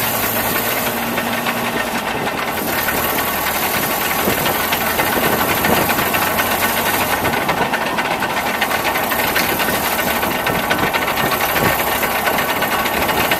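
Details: Truck recorded by a camera mounted underneath. Uneven knocking about twice a second over a rough, loud idle. The cause is still unknown to the owner.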